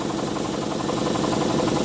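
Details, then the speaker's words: Campbell Hausfeld air compressor revived after water damage had locked it up: a fast, even pumping thump with no knocks or squeals, building pressure normally apart from a leaking blowoff valve. "Other than that, it works pretty good. Clearly, it's building pressure cuz you can hear it."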